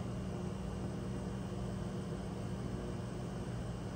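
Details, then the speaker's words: Rheem hybrid heat-pump water heater being troubleshot: compressor and fan kick on with a steady, even hum, low drone and faint high whine, no knocks or rattles; compressor running normally. "I can hear the compressor running I can feel the air blowing off of the fan"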